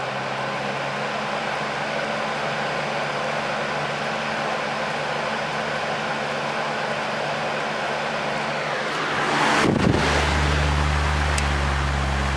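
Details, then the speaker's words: Air King 9218 fan after its back cover was fixed and reassembled, with all speeds working: the motor spins up and settles into a smooth, even hum on high with no rattles or scraping. "all speeds are working so let's go ahead and start it up on high"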